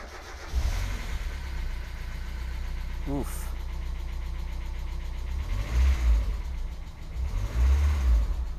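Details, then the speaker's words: 1990 NA Miata, freshly bought, first start before any work: rough idle with fast clattery top-end tick rising with revs, like an old diesel, louder than normal, smooths out over time; owner suspects an oil issue. "all right so first off it sounds like we're starting up an old diesel uh the valves are tapping really loudly i really don't like that i don't think that's normal for this car it does smooth out after time so it could be an oil issue"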